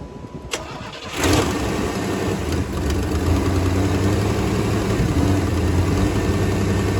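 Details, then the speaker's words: 3rd gen Firebird after new plugs (one original left), new wires, rotor and distributor cap, old coil kept: cranks briefly, catches at once and settles into a steady, even idle without misfires; normal start. "So, now this thing should just fire right up."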